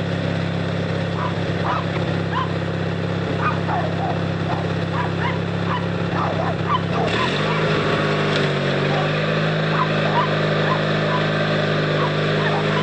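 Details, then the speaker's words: Noma 18HP tractor, battery recharged, started by jumping the solenoid with pliers: steady cranking drone under barking dogs, then the pitch drops and it settles into an even run; normal cranking and starting. "oh yep she's a runner"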